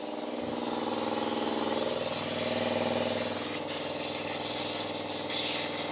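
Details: Air compressor for a Karmann Ghia restoration, first power-up: motor runs with steady hum under loud continuous hiss of escaping air; the tank drain valve underneath is open.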